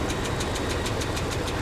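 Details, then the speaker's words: 2005 Dodge Ram 2500 with P0301 cylinder 1 misfire code: V8 idling with a sharp regular tick about six or seven a second; owner finds it disturbing and says it sounds almost like an exhaust leak. "not sure if you'll hear this through the camera but this engine has a very disturbing tick to it uh that I really don't like it sounds like a um almost like an exhaust leak kind of a"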